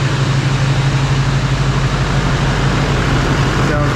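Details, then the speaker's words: Truck on a crew cab frame fitted with an extended cab, first start after the rebuild with fluids topped up: steady, even idle with a smooth low rumble and no knocks or misses; sounds pretty good. "sounds pretty good."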